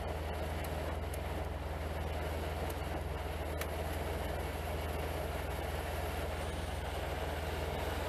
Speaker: the low setting is very low you can feel it right yep but the high setting is very high